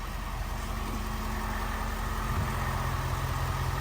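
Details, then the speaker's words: 2023 Ford F350 6.7 Powerstroke diesel after fuel filter change, fuel system primed before starting: steady, even idle with regular low rumble, no misses, knocks or hunting, no leaks; normal idle. "Let's go ahead and start the truck. Starts up every time."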